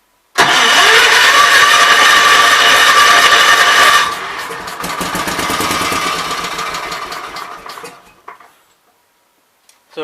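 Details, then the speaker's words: Kohler K241 single cylinder engine, likely off a Gravely, fixed main jet carburetor: catches and runs fast a few seconds, then sags, chuffs unevenly and dies; owner suspects not enough fuel, adjusting carburetor screws. "not getting enough fuel guys and this is i believe a fixed main jet carburetor"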